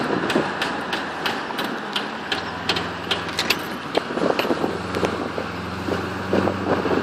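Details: Holden VY SS Commodore driving under power with quick sharp clicks repeating over road noise, intermittent, prominent under load and uphill, fading in neutral; caused by a worn rear right-hand driveshaft CV joint, replaced.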